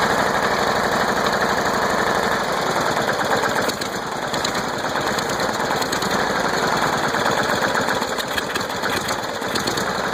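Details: Small engine's first start after being flooded with mossy water, with only the starter cleaned and manual choke used: steady fast putter, a bit rough but holding speed without missing or dying; running fine.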